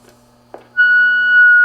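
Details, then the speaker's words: Johnson Viking II tube AM ham transmitter after filter-capacitor job, on phone: a click, then a loud steady high squeal near 1.5 kHz over faint hum; feedback from the adjacent DX150 receiver, 1-foot antenna, RF gain turned down. "Like I said, a little feedback."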